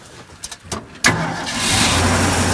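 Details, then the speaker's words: Few clicks, then carbureted V8 truck cranks briefly and catches into a steady clean slightly fast idle after carb and intake work, first time with no exhaust leaks; choke possibly on. "Oh, man. Wow. That's nice. Idle's a little high, maybe the choke is on."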